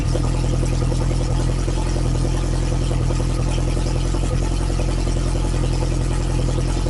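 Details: Lotus Esprit engine after refresh, Bosch injection still being tuned, started cold (only reached about 30–40°C): loud deep steady fast idle, even firing, no knocks, misses or rattles; normal cold fast idle.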